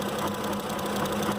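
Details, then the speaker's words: 2005 Ford Expedition 5.4L V8 with a 2008 engine fitted, coils and injectors replaced, no signal on cylinders 7 and 8: lumpy uneven idle with steady hum and irregular stumble; misfire on cylinders 7 and 8. "así que la 8 que es hasta el mero el último guys pues mira estamos a las ocho y si no no hay señal de vida"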